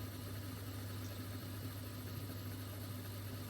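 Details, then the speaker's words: Drain pump of a Mastertronic analyser during a reference test rinse cycle, emptying the reaction chamber until air bubbles appear; quiet, even low hum with no knocks or rattles, normal drain pump operation. "You can see the empty motor is starting and emptying here, and you will soon see air bubbles again."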